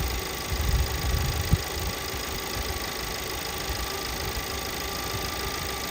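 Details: 2017 VW Passat 1.8 petrol idling after a few minutes running: irregular stumble and shake, random multiple misfire codes cylinders 1–4 despite new NGK plugs; fixed by replacing camshaft adjustment (variable timing) solenoid/sensor.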